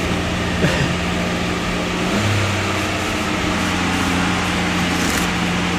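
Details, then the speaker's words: AMC Eagle 258 after a TFI ignition upgrade: the engine runs smoothly and evenly on all cylinders but sits at a noticeably raised idle, steady with no hunting. The cause is unconfirmed. "but there it sounds like I'm running all cylinders see there's a high idle"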